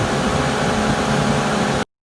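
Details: Suburban propane furnace after fix, calling for heat, blue flame lit: smooth steady whoosh of blower and burner, no rattles, squeals or hesitation; running normally.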